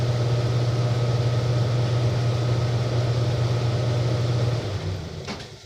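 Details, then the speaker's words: Vintage Lennox blower with old GE motor on a new, slightly tight belt: steady low hum fading smoothly as it coasts down after shutoff; it sounds healthy, though the blower bearing is already worn and the motor has bad bearings. "yeah i'll set you down and you can watch it spin down because this belt"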